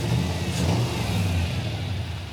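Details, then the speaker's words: V8 idle, deep and lumpy, surging when revved, with an uneven beat; one bank fires fully while the other has at least one dead cylinder, running on six cylinders; engine misfire from two swapped, crossed ignition plug wires firing out of order. "yeah the engine doesn't run right it's running on six cylinders"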